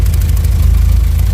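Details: VW Jetta A4/MK4 2.0 petrol at idle with lumpy, uneven pulse and missing beat: cylinder misfire persisting despite new plug wires; engine shakes, strong fuel smell, catalyst removed; owner suspects ignition coil, one coil's cylinders not firing.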